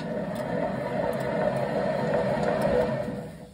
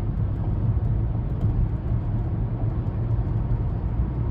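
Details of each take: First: 2015 Chevy Malibu hub spun by hand with caliper and bracket removed: rough gritty whir fading as it slows, dry worn wheel bearing, before hub replacement. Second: 2015 Chevy Malibu, test drive at 60 mph after wheel hub replacement for a howling hub: even, low road rumble with no howl or drone rising with speed. Quiet wheel bearing at highway speed.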